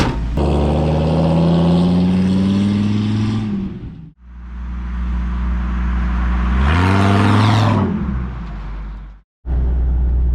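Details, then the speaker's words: 2001 Dodge Ram 2500 V10 driving after the passenger-side exhaust manifold gasket was resealed: a deep, smooth engine rumble under acceleration, with no more ticking in the cab. "my exhaust leak is fixed truck sounds much better no more ticking in the cab so I'm very happy about that"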